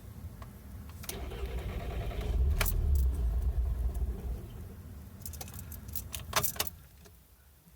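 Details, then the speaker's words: 2012 VW GLI, warm, with a random no-start (recirculation valve already replaced; fuel pressure or transmission solenoid suspected), restarted after shutting off on a shift into drive and back to park: the starter whirs and the engine catches briefly with a low rumble, then stalls within seconds. "I just put the car in drive and then put it back into the park in the car shut off I'm gonna try to start it"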